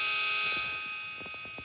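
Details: VTech MobiGo 2 handheld with game cartridge tilted in its slot: piercing, steady, extremely loud high-pitched multi-tone electronic buzz, vacuum-like from another room; console malfunctioning.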